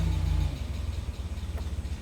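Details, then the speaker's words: Mazda NA Miata after camshaft reinstall (cam gears torqued to 41 ft-lb after backing out): idle falls too low, lumpy and dies, otherwise fine; cause was intake charge tube not seated on mass airflow sensor, unmetered air leak. "it just gets too low and dies but otherwise it's fine i figured it out the intake charge tube was uh not seated correctly on the uh mass airflow sensor"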